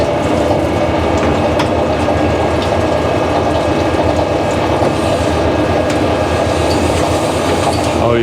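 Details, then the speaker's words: Stroker LT1 block torque-plate honing: steady harsh scraping drone from drill-driven hone, stones not touching at top and shadow mid-bore; uneven hone contact, suspected distortion from clamping load and head fire ring. "Oh yeah, all the way back here, it ain't even touching nothing at the top. And it's got that shadow in the middle."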